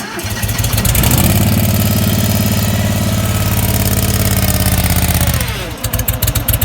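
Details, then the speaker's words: Bobcat 643 skid steer with lawnmower engine and electric fuel pump replacing original diesel, unstarted two to three months: starter churns evenly about five seconds, stops, cranks again, never catches; out of fuel, crank no start. "yeah it is out of fuel that's what the problem is"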